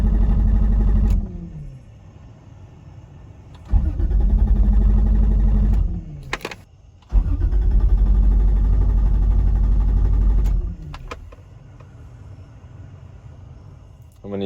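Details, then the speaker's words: Toyota Supra Turbo, long abandoned, which shut off while driving: repeated long cranking bursts with steady starter churn about four per second, never catching; cranks but won't start, fuel pump not heard, fuel delivery suspected but unconfirmed. "use the battery to try to jump the fuel pump to test the fuel pump to see if it works. Oh, wait. There's a bunch of amp wires in here cuz I don't hear the fuel pump."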